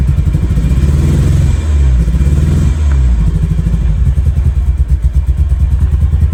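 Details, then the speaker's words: Abandoned Ferrari 308 unused for 15 years, new ECU fitted, wiring and fuel issue fixed, tested on old boards before installing new ones: deep lumpy starter thumps with uneven surges, never settles into running; hard starting, cause unconfirmed. "So this is with the old boards. Not even starting."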